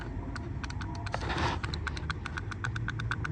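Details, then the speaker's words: 2008 Chevy Impala blend door actuator from behind the glove box, removed and shaken: quick light plastic clicks from a loose motor broken inside, causing machine-gun noise and no heat. "That's why it was making that noise. So this is very loose, so something is broken inside the blend door motor. So you can hear the little clicking noise."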